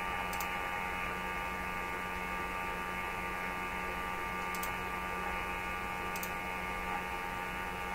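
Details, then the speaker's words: Sweep generator sweeping about 500 to 1640 every 10 milliseconds, heard through an RTL-SDR receiver during radio coil testing; steady, harsh constant-pitch electronic buzz; normal sweep signal buzz. "And I'm sure that buzz is the sweep generator sweeping. I've got it going 10 milliseconds to sweep across the band. It's very, very fast."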